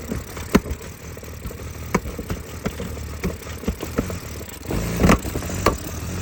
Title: Help!!! 2004 BMW E46 325 CI Rough start, idle and popping sound from intake manifold.